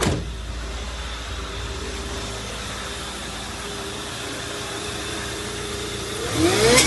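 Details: Ford Fiesta 1.0 supercharged after repair: steady, even engine hum, then a quick rev with a clean rising whine. Earlier loud noise was not the supercharger but an AC pipe touching the fan, plus a damaged belt tensioner.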